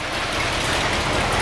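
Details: 1973 Cadillac Eldorado convertible, 500ci big block, after new carburetor and power steering pump install: steady even idle, smooth low rumble, no steering pump whine or groan; normal idle, timing issue still suspected.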